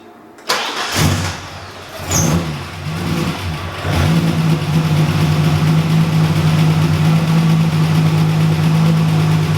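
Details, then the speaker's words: EB II Ford Fairmont started after years of sitting, following a split vacuum hose fix; catches and idles with clattery top-end ticking as drained lifters need running to pump up again. "yeah she's back calm down buddy but yes she is back a lot of top end noise but that should clear up after some running to get the lifters to bleed up again"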